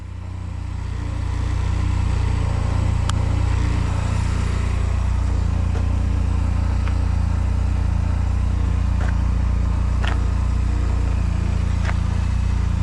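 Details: 2005 Honda Silver Wing scooter, first start after sitting mossy, oil and coolant checked: small engine catches, rises and holds steady even note with light ticking, idles and revs cleanly; normal idle and revving.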